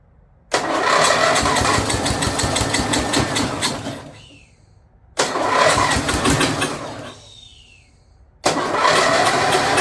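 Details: Snapper rear-engine rider, Briggs 12 HP I/C single, abandoned for years, brand-new carburetor leaking fuel, choke open, blade turning when it shouldn't: revs in bursts then sags and dies each time; owner suspects the carburetor, engine itself sounds okay.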